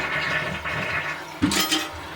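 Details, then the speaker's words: Toilet with flush valve after flush-handle replacement with chain and wire, fill valve set to slow fill: gentle steady hiss of water refilling the tank with a brief splash midway; filling slowly and evenly, working properly. "But for now, I'm happy with that. I think it's doing good. I've got it on slow fill, and now I'm going to put the lid back"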